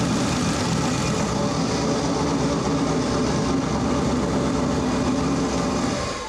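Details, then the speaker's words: Four-turbo AWD LS-swapped Audi Quattro race car after boost reached about 27 psi: rough running with a harsh hissing chuff pulsing from the crankcase, heavy blow-by; they suspect a holed piston or broken rings, and the engine will be torn down. "That's straight up blow-by. So we either poked a hole in the piston or snapped some rings, but we'll figure that out because we're gonna pull this engine apart."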